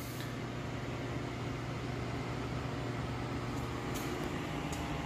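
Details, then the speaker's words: Atari APB arcade cabinet during restoration; cabinet cooling fan runs with steady low hum and even airy rush, no beat or rattle; simply loud, cause unknown. "you can hear the fan work and loud"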